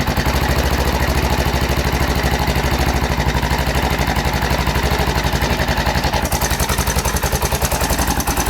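Single-cylinder idle with a loose, irregular clatter riding on each firing beat, roughly two per second; cause of the rattle unknown.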